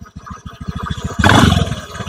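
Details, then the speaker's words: Honda Beat gen 3 scooter after CVT repair, engine running with throttle pulled at the throttle body from low to 3/4 to full: even single-cylinder putter swelling smoothly, no grinding or roughness from the belt drive; CVT now smooth and normal. "ini gas bawah kemudian Gas 3/4 sampai gas atas Apakah suaranya ada yang kasar"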